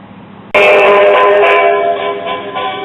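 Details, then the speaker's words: 1960s Telex-Phonola record player, possibly never used: loud playback fuzzy and harsh with buzzy edge; distortion, suspected warped speaker cone, amplifier and speaker still to be checked. "because that distortion sort of sounding like a warped speaker cone"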